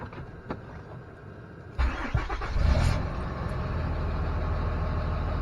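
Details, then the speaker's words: 2007 Dodge Ram Mega Cab Cummins diesel with G56 6-speed manual, clutch engaged, door open: cranks briefly, catches and settles into a steady, even idle with no gear rattle; normal start and idle, no rollover noise. "And as you can tell, door is open. You can tell the door is open, no real rollover noise from the G56. So overall, I mean, it sounds awesome."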